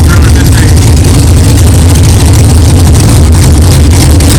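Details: 1964 Chevelle with freshly built 383 stroker V8, first fire-up after 8-month build; 63 lb oil pressure, 11° timing, not yet warm. Deep, loud, steady lumpy idle, no knocking or clatter, good oil pressure; normal idle.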